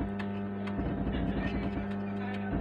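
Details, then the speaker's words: Mains hum from a 65 W amplifier that began after a new board was fitted: low, steady buzz with faint clicks through the amplifier, present alongside music and distorting the sound at full volume; gone after repair. "तो देखिए ऐसे आवाज़ आती रहती है आवाज़ के साथ में ऐसे गाना बजाता है तू गाने के साथ-साथ ऐसी आवाज़ आती रहती है"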